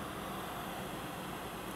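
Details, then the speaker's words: 2nd-generation Toyota Prius with a failing hybrid battery, car on in park with the AC off: a soft, steady, airy whoosh like a vent blower from the battery cooling fan vent in the rear corner, still running while parked. "kick the fan on full blast and it'll be blowing and it sounds kind of like kind of like your your event blowers on low speed or higher speed but it's this vent in the back corner right over here"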